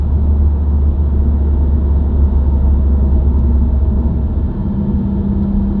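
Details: New-generation Subaru WRX, recorded inside the cabin while driving: deep even humming/buzzing that rises with road speed and continues with clutch in and out of gear, not rev-dependent. Dealer-diagnosed broken centre-diff viscous coupler, recorded before repair.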